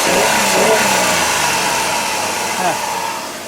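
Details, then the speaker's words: Dodge Caravan, 140-something thousand miles, after new spark plugs and wires; revs climb cleanly to the limiter and fall back with no stumble, sounds like a brand new van. "make sure it doesn't stumble oh yeah that sounds like a brand new van right there"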